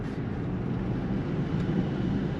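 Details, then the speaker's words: 1951 Cadillac Series 62, 13,000 miles, recorded in the cabin: heater blower fan running with a steady, even whoosh of air onto the legs and a smooth hum, no rattles or scraping; working normally. "alors l'air fonctionne le ventilateur fonctionne on l'entend et on le sent je sens maintenant l'air sur mes sur mes sur mes jambes"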